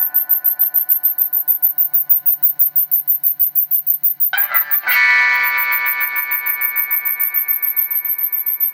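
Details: Homebuilt tube bass amplifier being adjusted via control grid bias pot; a pulsing warbling high tone throbs about twice a second, tremolo-like, then turns into a louder squeal; amplifier oscillation, cause not confirmed.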